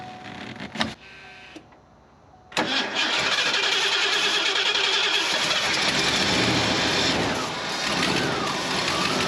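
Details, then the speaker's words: Fuel-injected Ford F250: it cranks, then catches and runs steadily only on starting fluid. Spark is good but the injectors aren't firing, with both wires grounded out. A fuel-delivery issue; a small vacuum leak is also noted. "It's definitely a fuel issue. All right, so this Ford, the injectors aren't firing. Got good spark."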